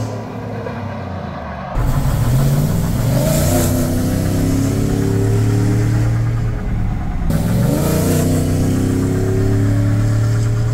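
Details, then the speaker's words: Chevy Silverado 5.3 V8 with cheap long-tube headers, after fixing exhaust leaks and adding a small resonator: deep, even rumble with two quick throttle blips, no ticking or puffing; normal running, no exhaust leak. "after fixing the exhaust leaks and adding a small resonator so Tyler it doesn't get pulled over every sing day this is what it sounds like"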